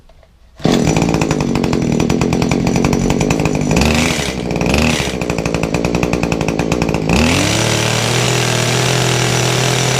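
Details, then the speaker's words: Kawasaki hedge trimmer two-stroke after fitting fuel pipes, started on choke and primed; it fires and buzzes high, dips and recovers, then runs steady and even. Its carburettor has no high or low adjustment screws. "running it's running better just curious if it is actually a an adjustment on it"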